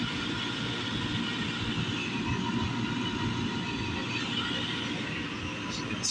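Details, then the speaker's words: Valiant oil burner on a home furnace after service: even, steady roar with no pulsing, puffing or bloop; flame even, burner running normal. "It sounds even. Don't sound funny or bloop like it's not running right."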